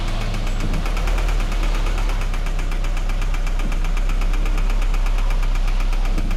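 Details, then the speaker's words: 2013 Scion FR-S at idle just after start, customer complaint of knocking: steady rapid deep internal knock about three per second; scan found cylinder 4 misfire, teardown recommended; cause unconfirmed. "Uh this is the car with a knocking sounds. So pretty much customer complaint you know with a knocking sound."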